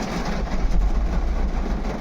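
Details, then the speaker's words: Tata Nexon diesel with check engine light, pickup drop and heavy vibration: lumpy, uneven idle; scanner confirms cylinder 3 injector open circuit, likely misfire on cylinder three, rodent-chewed wiring suspected. One dead cylinder. "तो इसका जो three number cylinder है शायद से miss fire है चूहे ने wire वगैरह खाया रहेगा या कुछ जो भी है"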